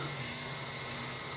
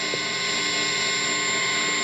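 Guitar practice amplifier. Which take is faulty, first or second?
second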